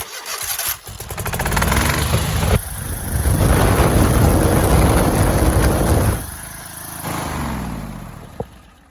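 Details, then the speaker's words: Kohler V-twin where one ignition coil was killing spark on the other, now with a diode fitted in the kill lead like a Briggs, after a little choke: cranks, catches and settles into a steady, even run with both cylinders firing cleanly. "So you can see when these two coils are connected to each other, if I put this diode in here like a Briggs had, it works like it's supposed to."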